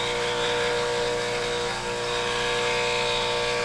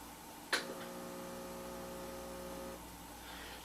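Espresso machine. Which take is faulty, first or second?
second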